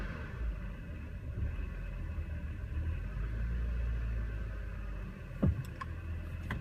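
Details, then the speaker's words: BMW with codes for a cylinder 4 misfire and low throttle airflow, carbon buildup on the throttle actuator, idle tested with AC on and off in neutral and park: a low idle that swells and sags unevenly, hunting and shaking. "I scanned my vehicle I got codes M fires on cylinder 4 um I got on the auto throttle um code for for it being uh like low air passing through"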